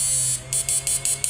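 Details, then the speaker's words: Samus 988M Plus ultrasonic PDC inverter after PWM driver modification, FF mode then normal mode, 1000 W load lit brightly: high hissy buzz pulsing about four times a second over a steady low hum; quiet but strong output, normal. "Suaranya enggak berisik tapi outpesnya kencang sekali ini, Mas Bro. beban 1000 watt menyala terang sekali."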